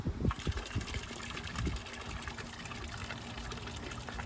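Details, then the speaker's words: 25W solar fountain pump rated 450 gallons per hour, in sun: soft steady hum under splashing, gushing water, even flow without rattles or labouring; normal operation (the pump later failed during recording). "all right so this thing is pretty powerful so 200 and should i say 200 i'm at 25 watts 450 gallons an hour"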